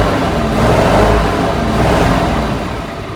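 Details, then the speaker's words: 1976 Squarebody farm truck V8 sitting 20+ years, running off an auxiliary fuel tank with the carburetor now secured: deep, even rumble, steady, no misses or knocks. A normal idle. "We got this engine to fire off, and then we hooked up an auxiliary fuel tank and got it to run and idle after it's been sitting over 20 years."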